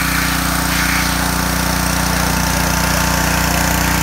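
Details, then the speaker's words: John Deere 2040 tractor diesel after water pump rebuild, new hoses and fresh antifreeze: steady, even idle with no whine or rattle from the water pump, temperatures cool; normal idle after repair. "well we got it all buttoned up water-pump fixed new hoses on it full of antifreeze and it runs great temperatures nice and cool and there's no noise coming from the water pump"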